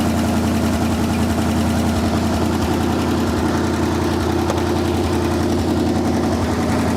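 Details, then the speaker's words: 1974 Ford Bronco engine after sitting 35+ years, rat-infested, running briefly without radiator: even, settled idle with steady low rumble, not a drop of smoke, no misses or knocks; running smoothly. "Not a drop of smoke. We don't want to run it too long without that radiator. Yeah. I mean, you can't ask them to run much better than that."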